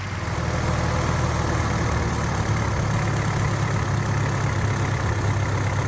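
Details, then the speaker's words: 1931 Model A Ford four-cylinder, freshly swapped in and run in at 1200 rpm for 20 minutes: low, even rumble at steady fast idle with no surging, misses or knocking; healthy, though a timing cover oil leak appeared afterwards. "Now, John Cook told us to run the engine at 1200 RPMs for 20 minutes, which we did. And did she run nice and smooth?"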